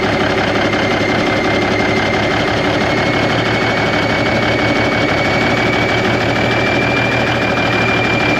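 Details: 1991 Freightliner, Cummins NTC-365 with bad throttle lag, fed from a fuel bucket bypassing the ECM cooler plate: steady idle with uneven clattery knock and faint high whine, running rough and sounding worse; fuel delivery suspected, unconfirmed.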